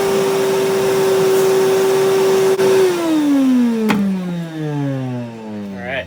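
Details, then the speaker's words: Mini wet vac after repair; it had died vacuuming drywall dust in 95°F heat, with a worn, overheating heat switch blamed. With the filter cleaned, it gives a strong, steady whine, then spins down smoothly: normal running. "right, that sounds a whole lot different than it sounded when it took a crap."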